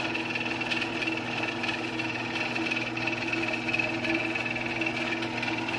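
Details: Old Genie Model 209 chain-drive garage door opener with code-card radio, bigger sprocket, closing; smooth constant motor hum and steady chain whir, no grinding or knocking, running normally.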